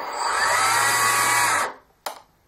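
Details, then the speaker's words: Hobbyking ASW-28 RC glider electric motor with ESC engine braking just enabled: high steady whir, then throttle to zero and it winds down and stops fast so the propeller stops and folds; braking works properly. "that final beeps to tell you the engine braking is on and there it is you see that when I go back down to zero it positively stops it"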